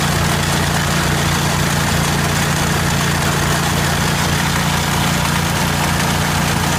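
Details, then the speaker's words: 1980 Jacobsen Turfcat 60-inch mower, PTO drive engaged with engine running: loud constant metallic clattering racket as the PTO shaft bounces freely because its bushings are missing, wearing the shaft end; four new bushings to be fitted. "if there were no bushings and the shaft the shaft was free to just bounce around that's what all that racket was you can hear in the video"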